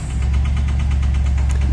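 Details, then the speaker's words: Newly bought vehicle, unregistered since 2013 and long parked, with no clutch: a low idle drone with a steady, rapid knock riding on top; the owner thinks it has spun a bearing. Rod knock. "hopefully you can get it down to the trailer cuz it is fairly rattly so to me it sounds like it's done a spun a bearon"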